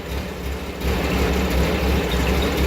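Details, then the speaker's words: Engine with a 2234cc motor and single modified stock carburetor (no venturi), catalytic converter just installed after the muffler. Steady even low thrum at idle, quieter, softer and more modern exhaust note, no misses; running cleanly. "Sounds a little quieter. Sounds kind of like a little more modern-ish on the exhaust note."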